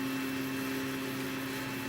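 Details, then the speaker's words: Chinese laser cutter running RDWorks, stepper motor axis at 50 mm/s: a hard droning hum with a harsh rattling edge as vibrations start at the speed where speed peaks appear; stepper resonance. "well at 50 millimeters a second we've got a completely different sound and we started to get to vibrations"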